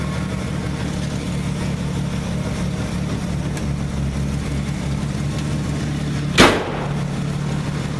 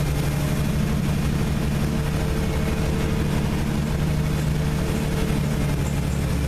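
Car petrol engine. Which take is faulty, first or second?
second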